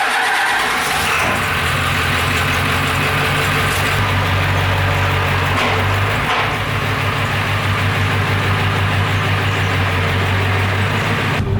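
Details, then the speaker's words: OBS Ford Powerstroke diesel, cold start after block heater and battery charger, low fuel in leaking rear tank before tank swap: brief crank then loud, steady, even diesel clatter at idle outside; healthy start. "We're gonna actually let it idle outside for a little bit."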